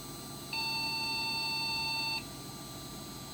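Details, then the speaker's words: Custom Athlon desktop with what is thought to be Phoenix BIOS: a single long beep of about 1.7 s at power-on; reseating a loose video card did not stop it, and overheating is later suspected. "Post. Beep code. Single beep. One long beep. And I think, if I'm not mistaken, this is Phoenix BIOS."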